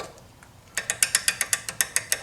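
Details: Vintage Snap-on S710 1/2-inch drive 32-tooth ratchet after a rebuild with a new kit and Super Lube, spun with a wrench. Crisp, even clicks at about six per second with no skipping or grit.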